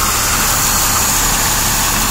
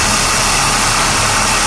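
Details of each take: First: Engine after recent work, idling while checked with carb spray; steady high hiss over a quiet even idle from a dry-rotted, cracked vacuum hose near the intake; vacuum leak. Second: Steady, even engine idle with a constant airy intake rush and no separate hiss, after a leaking vacuum hose for the cabin heating controls was found by ear and reconnected; the hissing is gone and idle sounds normal.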